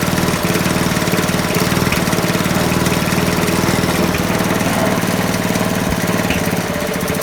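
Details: Non-running eBay spares petrol mower after reassembly, fresh oil and petrol, started on choke: runs unevenly with lumpy, hunting beat and no steady idle; owner thinks throttle stuck on, unconfirmed; rough running.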